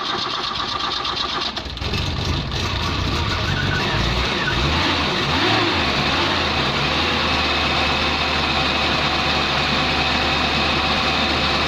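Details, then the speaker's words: Dacia petrol car on a 4000 km road trip, morning start after fresh spark plugs were fitted: several seconds of cranking before it catches and settles into a rough idle; a bit grumpy, hard starting. "she's a bit grumpy this morning"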